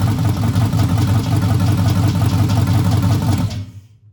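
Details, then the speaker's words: Ford Maverick's first-ever start after the build: uneven, lumpy firing for a few seconds, then it dies while oil pressure is still building. Sounds terrible, possibly just empty. Rough running. "what the [ __ ] was that that sounded absolutely terrible"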